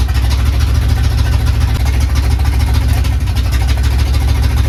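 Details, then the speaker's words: Carbureted Capri project, first start: uneven, lumpy idle with stumbling low beats and no steady rhythm; runs rough, later traced to a 3.5 PSI fuel pump when the carburetor wants about 6 PSI. "It's running. It's moving, but it does not sound too happy, does it? It sounds pretty rough."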